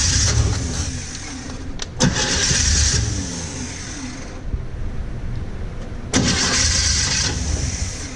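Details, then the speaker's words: 1950 Chevy cranking without starting: repeated starter bursts about three turns a second, never catching; fuel not yet primed up to the filter, cracked fuel lines spraying when pumped; points possibly open. "right it's getting their prime up not up to the filter yet"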